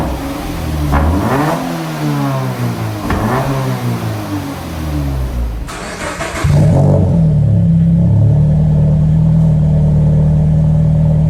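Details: Toyota 86 just fitted with a repaired, secondhand Invidia cat-back exhaust: several rising and falling revs, then a settled, even idle with a deep steady burble; a healthy engine and exhaust.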